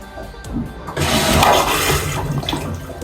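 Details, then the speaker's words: Aquila 32 Sport boat's marine toilet in the starboard wet head, empty mode: short burst of rushing, gurgling water as the pump drains the bowl, then quieter tail; empty cycle works normally. "and then you've got the empty so let's take a look at what empty does I think it's going to just empty the"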